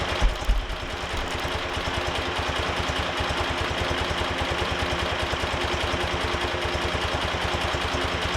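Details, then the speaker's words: BMW R90 boxer twin after top-end refresh, warm, carbs already balanced, during Harmonizer carb synchronization: slow, even firing pulses with no misses, idling very low; idle speed needs raising. "it's amazing how slow this idle is"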